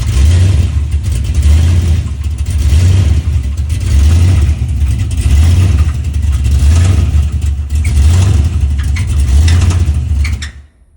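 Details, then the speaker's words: 6.0 LS V8 in a G-body race car, after a collapsed lifter was replaced: rumbling revs with a harsh rapping knock from the bottom end; a bad rod bearing was confirmed after pulling the engine and dropping the oil pan. "Then fired it back up, and we got all kind of noise in the bottom end, as you can see in this video right here."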